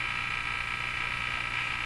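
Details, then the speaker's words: Northern Electric Baby Champ tube radio, tuned off station during a detector audio-leak test (AVC bias about 0.2 V): a loud, steady raspy high buzz over a faint low hum between stations. "Now let's see what happens with this bias if I tune off the station. Oh my gosh, what's that noise?"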